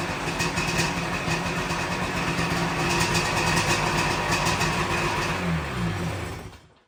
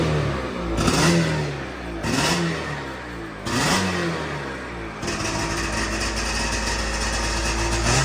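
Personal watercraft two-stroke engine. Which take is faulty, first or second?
second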